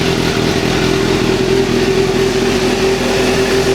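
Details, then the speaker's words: Suzuki GSXR motorcycle just after start-up, steady even engine note with a faint on-off hum from the secondary throttle bodies over-opening, which stops shortly after start; engine running perfectly. "there we go yeah overall the bikes running great everything is good"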